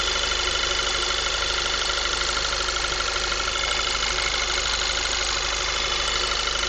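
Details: 2010 VW MKV 2.0 TSI, about 1000 miles, APR stage I and Neuspeed intake, warm after driving: steady thin high-pitched whine over even idle; owner suspects failing water pump, not confirmed.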